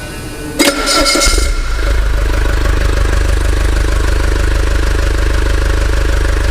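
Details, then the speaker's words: Common-rail diesel started during a rail pressure sensor test, with scanner and test pen connected: short crank, quick catch, then steady low idle with even clatter, no misses; idle rail pressure about 340–360 bar, normal start and idle. "eu vou dar partida no motor para ver se vai se vai subir a pressão eo motor vai entrar em funcionamento"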